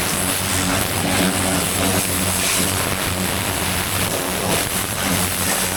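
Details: Vintage David Brown 990 diesel tractor, revived after 20+ years abandoned, clutch freed: steady even clatter under heavy wind hiss, no knocks or misses; running sweet, engine seems in good condition.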